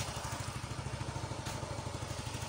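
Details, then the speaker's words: Yamaha Mio 125 (Mio M3) scooter after the cam chain tensioner was adjusted to take up chain slack: a steady, even single-cylinder idle pulsing about ten times a second with no ticking; now running quietly. "Coba kita cek aja L kita nyalain lagi tuh suara ngetek-etek kita pakai Op ini cukup kita putar ya ini teman-teman suaranya adem teman-teman"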